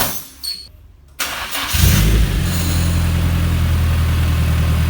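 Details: Nissan 240SX S13 with SR swap, first start-up, owner hoping for no more chain knock or oil leak: short crank, quick catch, then smooth steady idle with an even beat, no chain slap or rattle; healthy.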